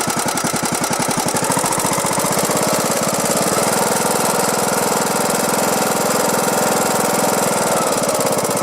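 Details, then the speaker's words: Briggs & Stratton Platinum 21 hp mower engine running with a sharp, regular click on each firing pulse, almost a knock. The compression release clicks loudly when cranking, and the engine is judged to be on its way out. "well if you're here it's almost a knock but it's really that clicking right so if you can hear that that is on its way out"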